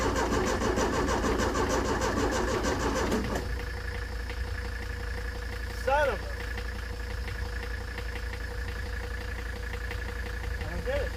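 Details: Ford Taunus 60-degree V4 in a 1970s Layton roller compactor, oil bath air cleaner refitted, gives about three seconds of steady, even cranking that never catches; no spark.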